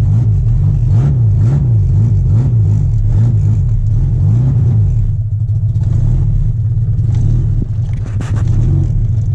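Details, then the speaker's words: 1991 Mitsubishi Galant VR-4 with custom turbo kit, 5558 Precision turbo, custom turbo manifold, E85 tune: loud raw blatty open-header rumble rising and falling with revs, exhaust escaping from a broken turbo manifold; wideband AFRs read nothing. "well guys as you guys can tell the Galant does not sound good it sounds like a open header well it is"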